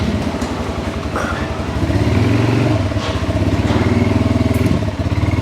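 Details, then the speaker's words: 2022 Kawasaki Brute Force 300 ATV (complaint: lost low gear), after clutch work, ridden with head-mounted mic and wind noise: steady single-cylinder thump at low revs, reverse engages cleanly, no bump or hit; normal reverse engagement. "so there's reverse nice and smooth no bump no hit"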